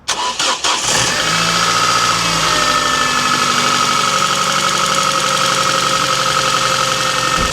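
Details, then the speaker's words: Ford Transit Connect camper van, after fixing a severe misfire by redoing spark plugs and leads: engine starts and settles into an even, smooth idle with no shaking like before; runs healthy. "Sounding good so far. Nice and smooth now, no shaking like there was before, so that's good."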